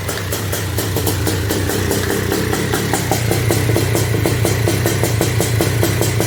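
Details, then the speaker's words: Honda TRX250R two-stroke on 38:1 premix, first-ever start after switching from HPI to OEM ignition at zero-degree timing: busy, uneven idle burble with ticking over a low drone; running rich, needs jetting. "uh so yeah we're definitely uh we need to do some jetting"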